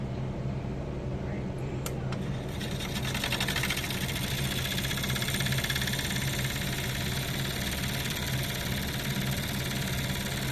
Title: KILM HALO Fan Making Noise 06/22/2022